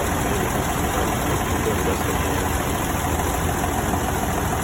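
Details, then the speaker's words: Restored 1982 Toyota FJ40 Land Cruiser idling steadily with an even low rumble and no knocks, misses or hunting. Owner notes these engines need a lot of vacuum and that it idles great; normal idle. "As you can tell, really idles great. I think in a previous video I explained these engines need a lot of vacuum. Here we can hear it idle."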